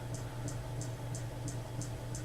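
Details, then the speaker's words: Vintage new-old-stock 36-inch Emerson Casablanca friction drive ceiling fan, first power-up, running on low speed: light crisp tick about three per second over soft hum; owner suspects the canopy is making the noise. "may be the canopy making that noise so when I get that time that that may stop that noise"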